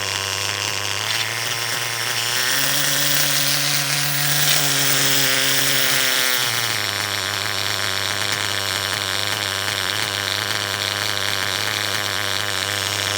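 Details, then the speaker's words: Intermittent internal noise: an R5 nitro engine gives a steady high buzz with pitch dips and a faint, random, irregular rattle inside. The owner suspects a failing bearing. The clutch setup was checked, and the engine will be pulled to inspect. "so it's not about the tune you guys right now it's about the Chipmunk running around in my uh R5 I don't know if you could hear that just kind of that random noise maybe a bearing's going out"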